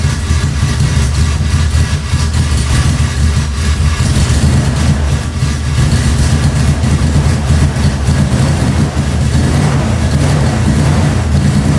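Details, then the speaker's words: 1990 Toyota Pickup with swapped 3.4L 5VZ-FE V6, new injectors, first start with unhooked vacuum lines plugged: deep lumpy stumbling idle with occasional revs, fuel puddling and smoke from exhaust; running rich and misfiring, owner suspects something tricking the computer. "well the guy wasn't lying this thing sure runs rich so i kind of wiped it up there was some puddles of fuel coming out the exhaust and just smoking out the whole neighborhood"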